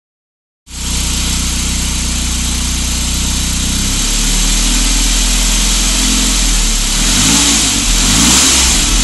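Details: Saab 9000: silent at idle, but above 1500 rpm a regular knocking builds with revs, about four a second. Owner was told it is the bottom end and wonders about the timing chain or tensioner; cause unconfirmed.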